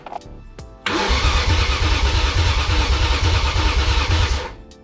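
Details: Rebuilt BMW E39 M5 wagon engine, first start attempt after priming oil pressure, fuel rail just connected, coolant lines open: starter turns engine over at steady even rhythm about three seconds but it never catches; cranks, no start.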